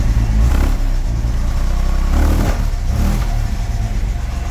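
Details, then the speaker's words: 1975 Jaguar XJ6 Series 2 SWB, rebuilt with new valve guides and an electronic distributor. Lumpy, uneven idle with occasional dropped beats, a slight misfire; possibly one cylinder not firing or a bit choked up, needs tuning. "Got a miss. Yeah. Got a miss. I can hear it's got a little miss."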